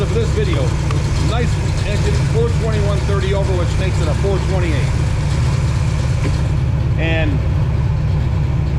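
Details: Pontiac 421 .030 over with '69 big-valve heads and degreed cam, warm after revs to 2700–2800 rpm: deep, steady idle with a slight even lope, no knocks or misses. Normal idle.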